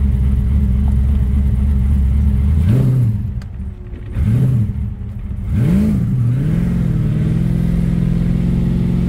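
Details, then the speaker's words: Test drive after installing a 3.46 M80 Torque-locker diff, warming up: engine pulls smoothly through gear changes over steady road hum, no whine, howl or clunk from the rear diff; no noises found. "what do you think doesn't seem to be noise"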